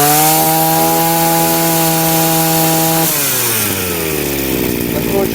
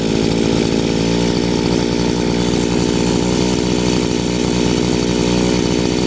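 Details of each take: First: Chinese two-stroke brushcutter with the carburetor nozzle deliberately turned half a turn off its setting: a high steady buzz for three seconds, then it sags and bogs as revs fall; lean mixture, choking and lacking power. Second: Chinese two-stroke brushcutter after carburettor adjustment via the flat-screwdriver screw: revs rise slightly and stabilize into an even, steady buzz with no hunting or stumbling; idle set correctly.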